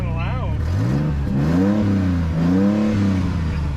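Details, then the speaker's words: Mercedes AMG that had sat a long time, started on a jump box. Revs rise and fall with a loud, raspy, unmuffled exhaust bark. The owner suspects the cats were cut or the exhaust stolen; this is not confirmed. "somebody cut the cats on this thing didn't they I think somebody stole the exhaust it sounds like it"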